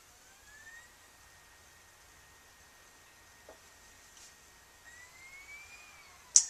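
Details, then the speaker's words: Dell XPS laptop slot-load CD-ROM drive just replaced, disc inserted: faint high whir rises, settles to a steady hum, climbs again as disc spins up; drive working normally after the swap. "Sounds like it's gonna work. Hey, alright. There it is. There's our CD pop-up."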